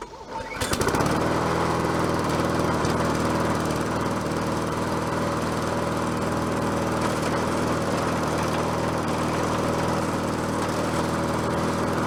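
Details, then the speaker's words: Bolens 22-inch self-propelled mower with a Quantum engine, back on the ground after repair work: starts on the pull and settles into a steady, even run with no surging or misses; self-propel works, cables may need slack taken up. "think it sounds good what do you think I think I needs need to run it a little bit more"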